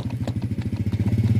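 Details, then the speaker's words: Proton Wira pulling away: rapid regular ticking knocks about every tenth of a second over low drivetrain rumble, with slight steering shake at speed; worn driveshaft CV joint. "Kalau Anda perasaannya ada bunyinya tek tek tek tek jadi inilah Puncak utamanya sekiranya kita mulai perjalanan di ada bunyi tek-tek devshop nih"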